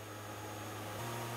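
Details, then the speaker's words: 7.25-inch rotor on externally pressurized porous air bearings, driven by an 18,000 rpm motor, speeding up from 6,000 to 7,000 rpm with little temperature rise: a smooth airy whir and steady hum rising in pitch, no rubbing. Normal running while accelerating. "now we're going to go from 6,000 up to 7,000 rpm you can hear it speeding up again"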